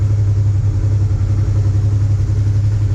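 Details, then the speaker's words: Honda Transalp 650 V-twin after spark plug and air filter replacement, warm after 2 minutes, recorded above the tank and near the engine; steady even idle, clean, slight light tapping considered normal for a Transalp. "Работа ровная, чистая. Есть небольшое подстукивание, но мне кажется, это нормально для Трансальпа."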